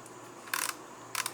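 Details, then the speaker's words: Kodak Ektar H35 half-frame 35mm film camera rewinding film via the rewind knob after the rewind button is pushed; two bursts of quick, light, evenly spaced clicks with no grinding; normal rewind ratchet clicking. "As you rewind the film, and you'll hear that clicking noise, totally normal. You'll just rewind it back into the cassette."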